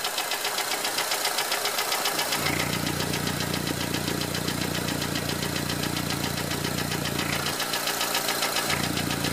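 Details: 2004 Honda Element EX AWD, 2.4L i-VTEC, 167,000 miles, no check engine light: fast even ticking three to four times a second over steady idle, persists with belt off; valves adjusted, timing chain fine; owner later attributes it to piston slap on cylinder 1.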